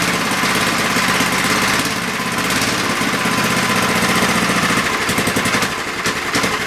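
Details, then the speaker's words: MTD edger with Briggs & Stratton engine, hot, at full throttle: loud, slow, uneven chugging; speed far too low because the governor/throttle spring lacks tension, fixed by bending its bracket. "wow that was the lowest full throttle ever i think i need a little tuning"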